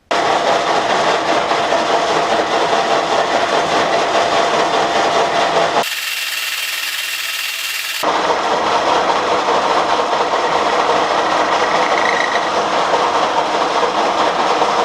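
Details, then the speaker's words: Belarusian lathe chuck jaws being bored on a 1K62 lathe with a 170 mm boring bar and VK8 carbide insert. Long overhang leaves it short on rigidity, so a harsh scraping cut carries a thin whistle and squeal: boring tool chatter. "при обработке повизгивает, посвистывает, то есть не хватает ему жесткости."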